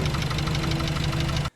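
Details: Mazda Miata NC1 engine at 80k miles failing on track at Auto Club Speedway, throttle floored yet only holding 110 mph, smoke behind; heavy rough rumble with fast steady knocking then abrupt cut-off; pistons broken, chunks missing, ring poking through.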